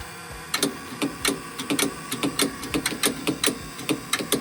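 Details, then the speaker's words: 1970 GMC Astro semi with a 6-71 inline-6 Detroit Diesel, 24-volt starting, sat over 30 years: sharp clicks about twice a second with no cranking; starter clicking, bad starter solenoid suspected, not confirmed. "I mean it just sounds like a bad solenoid you know when yeah I know that's what every Ford sounds like"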